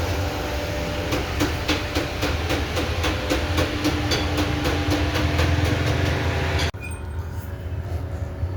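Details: 2016 Audi A4: sharp, regular creaking ticks, nearly four a second, over a low hum as the steering wheel turns. A dry steering shaft cross (universal) joint is binding; the suggested fix is spraying WD-40 on the steering cross joint.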